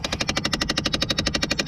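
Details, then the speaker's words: Dodge Caravan, failing blend door actuator that controls the temperature, heard with the door open: sharp, loud, very regular clicking at about twelve per second, steady and relentless, as the actuator skips its gears. "open that door it's going to start clicking insanely loud and there it goes the actuator that has gone bad"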